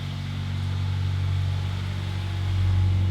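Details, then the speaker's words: 1993 Honda Prelude, 5-speed manual, 223,000 miles, first start after two years sitting: steady smooth drone creeping up, idling high; suspected clogged EGR, bad plugs or bad fuel. "RPMs are kind of high. Maybe a clogged DGR, bad plugs, bad fuel."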